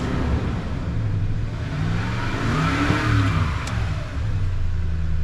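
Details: 2011 Toyota Tundra 4.6L V8, after a battery was installed backwards and the main fuse and blown 10 A ETCS fuses were replaced: engine catches and settles into a steady, even running note with a light rev, no stumble or miss.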